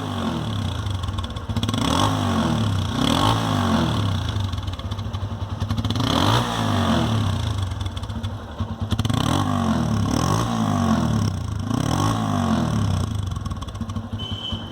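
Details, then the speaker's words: TVS Apache RTR motorcycle after clearing an insect's mud nest from the silencer: repeated throttle blips rise and fall cleanly with a crisp, free exhaust note; exhaust sound back to normal after the fix. "तो आप देख सकते हैं ये वही Apache RTR है और इसकी आवाज़ बिल्कुल सही हो चुकी है।"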